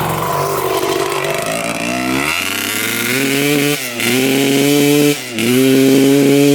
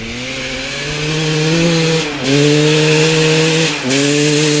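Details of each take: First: 1995 Honda CR250 two-stroke with its original flywheel refitted: revs climb, then sag and stumble on each throttle blip instead of clearing; the bog is traced to the faulty old flywheel. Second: 1995 Honda CR250 two-stroke with the old CDI and old stator both reinstalled: crisp, steady note; revs dip briefly twice and recover with no bog. Runs normally. Owner suspects the replaced gas line or the flywheel.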